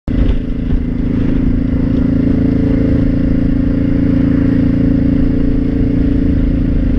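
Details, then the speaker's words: Honda Shadow 500 motorcycle: rattle under steady throttle that stops when throttle released and is worsening; rider suspects gearbox; earlier low-rpm knock. Broken and loose bolts lacking Loctite and a loose oil passage piece were later found. "oh my god interesting okay so I'll throttle it stops yeah I let off the throttle it stops that makes me think it's in the gearbox yeah that clearly getting worse"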